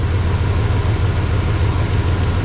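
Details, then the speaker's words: 2003 Ram 1500 Hemi with 426,000 miles, after a throttle body replacement and clearing a loaded-up start: deep idle with a faint light clicking, like a spark plug, near what is believed to be cylinder one; cause unconfirmed. "like a spark plug or something like that coming right here off of, I believe that's cylinder one."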